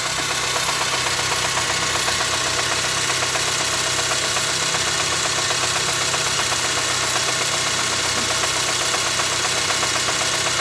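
Steady sharp knocking at idle, about two and a half per second, riding evenly over the engine; a knock of unknown origin.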